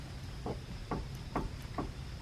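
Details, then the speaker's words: Camper trailer axle hub during greasing, axle nut loose enough to spin the wheel by hand: rocking the wheel gives four dull clunks about every half second from free play, before the nut is torqued to 50 lb-ft. Loose hub bearing end play. "well you do want to be able to spin it with your fingers but you don't want to have the play and you can hear I"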